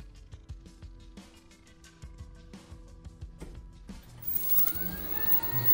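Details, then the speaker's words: Capcom Big Blue arcade monitor (Super Street Fighter II Turbo cabinet) after a cracked flyback was patched with silicone and cured 24 hours: clicks then a rising tube whine with no arcing or crackling, a normal power-up. "alright guys so the machine has been on around fifteen minutes or so so far no arcing looks like it's working fairly well"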